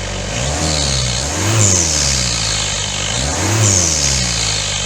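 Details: Daihatsu Fourtrak pickup, turbo replacement engine after a blown head gasket, new clutch, first test run: idles, then revs and settles in two smooth sweeps with no knocks or rattles; normal running.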